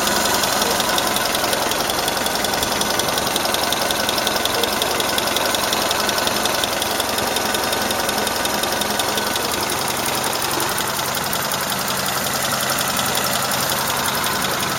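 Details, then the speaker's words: Engine warmed to operating temperature, idling: fast, fairly even metallic ticking following engine speed; owner unsure whether a valve tapping or shafts rattling, exhaust flex pipe slightly leaking. "То же самое, только двигатель прогрелся до рабочих оборотов."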